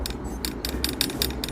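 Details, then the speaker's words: Mountain bike on the trail: light metallic clicks and rattles about five per second over low rumble, from a loose fork screw touching the frame; fixed by tightening it with an Allen key and padding with paper. "la solución a la cruda realidad del ruido ha sido apretar un tornillo que lleva ahí al fondo no se ve con una llave de alen"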